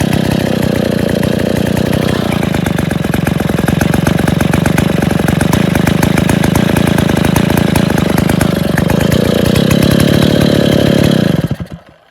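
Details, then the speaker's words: Stihl 070 two-stroke chainsaw first start after rebuilding the crankcase and cylinder, before fitting the cover and bar and before adjusting choke and clutch: loud, even bark held for about eleven seconds, then shut off; runs properly. "... लीजिए, सज्जनों, यह चालू हो गया, चल गया। बेशक, यह आवाज़ कर रहा है, कुछ चीज़ें बाकी हैं, चोक और क्लच को ठीक कर रहा हूँ, कवर लगा रहा हूँ, एक गाइड बार लगा रहा हूँ और इसे काम पर लगा रहा हूँ, इसका परीक्षण कर रहा हूँ।"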